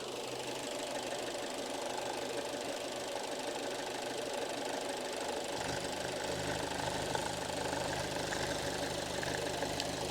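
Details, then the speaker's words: Alfa Romeo Giulietta 1.4 T-Jet with high oil consumption, engine run a few minutes and partly warm: steady, even idle with a soft regular patter over a low hum, no knocks or misses. Runs healthy. "et là le moteur il a tourné quelques minutes il doit pas encore être complètement à température mais déjà un petit peu chaud"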